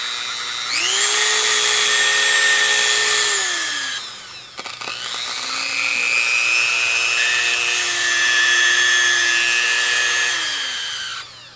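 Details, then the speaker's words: Worn-out Dremel rotary tool, motor brushes suspected worn (new brushes didn't work, old ones reinstalled): high-pitched motor whine that wavers in pitch with a gritty edge; sounds like bad bearings, sticky and not working right. "it's got like bad bearings [Music] it's just shot so it's sticky and it doesn't work right"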